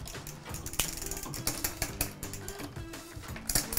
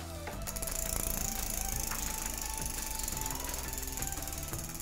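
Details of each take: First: Can you hear that one grinding? It's struggling to change gear. So the cable needs loosening. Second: Child's bicycle after derailleur limit-screw and cable-tension adjustment: fast, even freewheel ticking while shifting through the gears one by one, no longer noisy, with no grinding or chain rattle; gears running smoothly.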